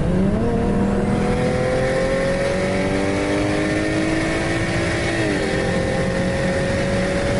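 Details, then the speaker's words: BMW swapped from a Precision 6466 to a BorgWarner S366 turbo, running 15 psi (coil pack misfire suspected at 23 psi): a clear whistle climbs with revs and boost under acceleration, far louder than before; healthy turbo spool. "turbo whistles a lot more than the precision ever did that's for sure"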